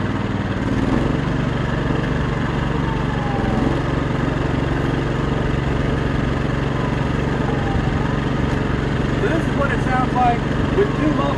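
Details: Steady, low, even idle drone with a soft regular pulse and no knocks or misses from a small inverter generator, either a new Champion 2000W on break-in oil or an owner-built 1000W unit, recorded 10-15 feet away; normal idle.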